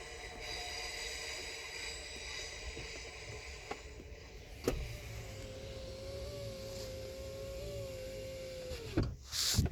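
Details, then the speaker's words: 2010 Mercedes C180 door lock being diagnosed: a brief whirring rises and holds for a few seconds, then stops with no lock clunk; the door lock actuator tries but fails. "You can hear it make a little whirring noise. I won't do it now. Well, maybe you heard it try just now. It was not okay."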